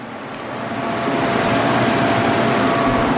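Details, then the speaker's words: Cooling fan of the 1970 Plymouth Duster with the 440 big block, run after engine shutdown: a whoosh builds over the first second, then holds steady and even with no rattle or scrape. The fan is working properly. "kill it see if our fan works oh you guys can probably hear that"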